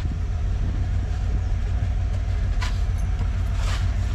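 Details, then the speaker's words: 1968 Dodge Charger 318 V8 that sat outside since 1984, revived with a replacement distributor, points and condenser; blow-by is decreasing and there is no smoke. Quiet, soft V8 rumble idling evenly with a couple of light clicks. "the charger is feeling itself I had to fire it up and show Derek cuz he just showed up what do you think Derek uh sounds good man nice Cruiser it's so quiet huh look it's not even smoking"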